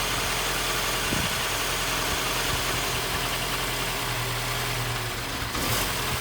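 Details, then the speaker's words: 2015 Mini Cooper S Copart rebuild, first proper startup, no leaks: an uneven, hunting idle swings from about 1,000 to 750–800 rpm. The unstable idle came from a vacuum leak, with something left unplugged and the induction hose not connected. "It's a bit, the idle isn't, sounds like there's air getting in. Revs are going from 1,000 to about 750 to 8, which normally means there's air getting in, but I need to keep it running."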